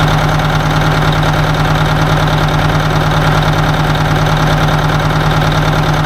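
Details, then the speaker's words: 1980 Peterbilt 359 diesel idling: loud, uneven lumpy beat about twice a second. It is down a cylinder, with one cylinder noticeably cold on one side and slobbering. Oil pressure is okay. Dead cylinder misfire. "she definitely down a hole I don't know which hole back one's real cold"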